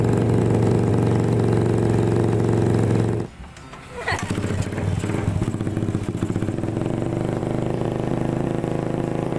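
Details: Suzuki Satria FU two-stroke engine first start after cylinder block and piston replacement: idles steadily, briefly cuts out, fires again and settles to an even idle.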